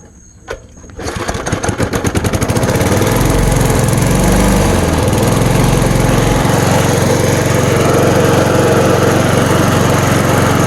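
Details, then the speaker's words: 1987 Snapper push mower, Briggs & Stratton engine (Sept 1987), running after throttle cable adjustment fixed a choke that wasn't fully closing; pulls over, catches and settles into a steady, even run, then back to idle, no surging: normal running. "So there I put it back to idle."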